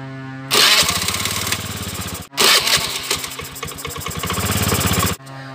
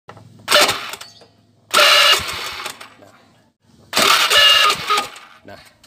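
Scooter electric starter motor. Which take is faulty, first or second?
second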